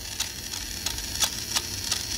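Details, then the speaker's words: Toy vehicle with 130 DC motor: light high whirr broken by sharp clinks about every third of a second, wheels stopping momentarily as the gear skips; likely broken axle gear. "Hear that clink, clink, clink? And I don't know if it's coming out on the camera or not, but the wheels stop from moment to moment. Now, when you get that, it's most likely going to be the axle gear."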